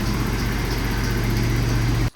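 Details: 1991 Toyota 4Runner engine on first start after new spark plugs are fitted: a steady low rumble with an even, uninterrupted beat and no misses or knocks for two seconds, then it cuts off; a clean idle.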